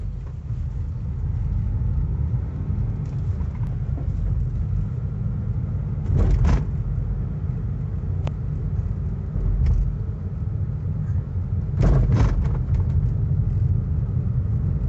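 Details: 2019 Honda Amaze on small bumps: sharp knocks and rattles from the suspension and dashboard over low road rumble; owner blames poor suspension quality, cause unconfirmed.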